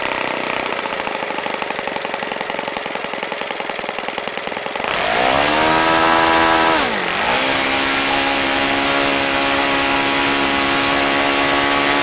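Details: OS FS-95V four-stroke model engine after rebuild, 15% four-stroke fuel, 14x6 prop, hand-started warm: catches quickly, blips briefly, then settles into steady, even, crisp run; healthy.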